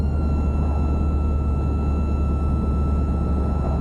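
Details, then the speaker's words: 1984 Buick LeSabre Limited barn find, sitting for years, cold day: heater blower at full fan gives a steady high whine over a deep drone, abnormal sound; temperature slider stuck, cause of noise not identified. "But, what I would like to try, it is a cold day, I'd like to try potentially to see if the heat will work. So, you go to heater. That's not a good sound."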